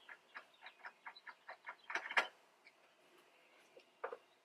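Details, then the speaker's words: Car with a bad battery from AutoZone, before jump-starter test: fast light ticking about four per second for two seconds, no cranking; battery completely dead. "So let me try to turn on the car and let's see if it works. I'm trying to start the car right now. This battery is completely"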